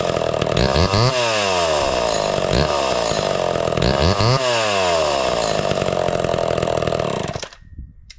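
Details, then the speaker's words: Homelite Super XL (Big Red) chainsaw with new chain and chrome new-old-stock muffler replacing a straight muffler: crisp two-stroke snarl revving up cleanly and dropping back a few times, then shut off; sounds better, healthy running. "I really love that sound way a lot better and uh I want to thank JT for sending this Muffler"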